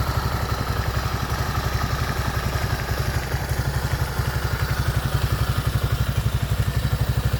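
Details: Motoland 166FMM (165FMM) 250cc single-cylinder engine, first start after repair: steady idle thump of about four beats a second, even and unhurried with no extra clatter; idling healthily.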